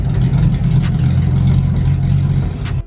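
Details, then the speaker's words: Mustang-based drift kart V8: a loud, lumpy idle with an irregular chop that sounds like a big cam, though the engine isn't cammed. It misfires pretty badly; cause not yet found. "Aaron what did you deduce when we got this all started its misfired how bad pretty bad"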